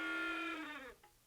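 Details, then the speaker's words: Cheap secondhand Panasonic VHS camcorder at power-off: high squeal dropping in pitch, screeching to a halt within a second; owner suspects capstan spinning out of control or something stuck binding it, unconfirmed. "it sounds like the capstan is spinning out of control or it sounds like something stuck in there and it's keeping it from spinning because when I turn it off"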